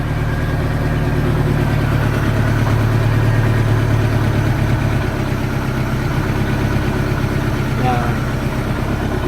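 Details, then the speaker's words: 1986 Sea Ray boat engine during restoration, idling just over 500 rpm after adjustment: low, even, steady deep rumble with no misses, the smoothest since reinstalled in the boat; compression good; earlier noise suspected from exhaust water shutter. Normal idle. "that's it has never been that's the smoothest after again since I put it put it back in the boat so I'm real happy man"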